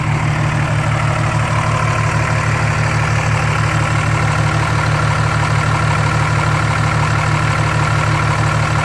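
A steady, even diesel clatter with a deep, regular beat and no misses or stumbles: this engine idles smoothly and healthily.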